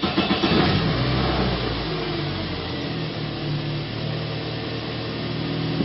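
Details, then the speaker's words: Toyota after repair of a bad engine computer ground that caused poor running, flashing check engine light and no communication; catches and settles to even steady idle after a brief rev, no misses; runs and revs good. "Runs good. It revs good."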